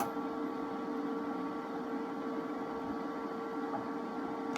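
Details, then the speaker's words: Harbor Freight Vulcan 140 MIGMAX welder with trigger pulled: wire feed motor hums evenly at a steady pitch with no catching or grinding; wire comes out slow then goes fast, like a Miller-matic, normal behavior. "And it just comes out real slow. Turns out, another thing they copied from Miller, it's just like my Miller-matic that I had sitting here. It comes out slow and then goes fast."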